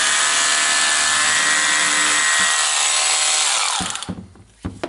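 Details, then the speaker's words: Makita DHR202 18V subcompact SDS rotary hammer drill runs whenever the battery is plugged in; switch suspected: high whirring motor runs steadily without trigger, then spins down with clunks; motor runs uncommanded. "Hello fellas, I have the Makita Rotary hammer drill. It's a DHR202, and the problem is that it's always working when the batteries plug it in."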